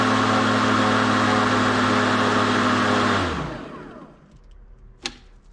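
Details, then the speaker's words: Ryobi One+ 18V cordless tool run on a battery at one bar until completely flat. A steady high motor whine holds, then its pitch sags and dies away as the battery gives out. "So as you see, we've got 1 bar. I'm going to hold it and you'll hear the sound change as it dies in performance."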